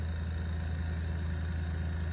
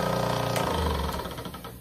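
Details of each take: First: Brand-new airbrush compressor, just delivered, sitting on a hollow box that makes it louder: steady low hum with even pulsing, no knocks or rattles, quiet; running normally. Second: Old 1980 Paasche airbrush compressor, long used, overheats quickly: loud, fast rattling knock, harsh and hammering over a droning hum; worn and noisy, cause unknown.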